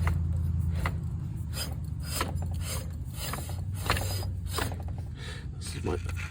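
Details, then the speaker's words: 2013 Dodge Dart, 220,000 miles, engine off with belt removed after the AC compressor failed and chewed the belt: idler pulley spun by hand gives a gritty rumble with irregular clicks; worn idler bearing, replacement ordered. "that sounds a little rough, too, but I got a new one coming in for that."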